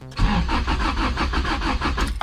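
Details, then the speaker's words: Honda with B20 VTEC engine: starter cranks steadily at about four or five compression beats a second for two seconds, but it never catches. Crank-no-start; the ECU later flashed code 14, idle control valve. "so i'm going to do a few checks first to see why the car doesn't want to start"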